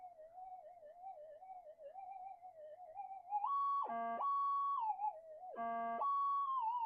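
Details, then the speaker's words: Minelab-type pulse detector with variable damping upgrade, damping peaked from factory full damping: wavering low hum then two clear steady high tones as coil passes small 0.05 target, heard even in the noise; normal target response. "Has peaked. even in all the noise um we can hear the target."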